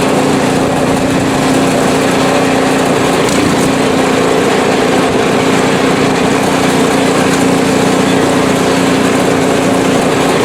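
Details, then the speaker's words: PowerSmart 24" snowblower small single-cylinder engine, ninth season, about 50°F outside, test run on sidewalk; steady, even buzz at constant speed, no surging or misfires; healthy, performing perfectly. "absolutely perfect performance it did everything it needed to"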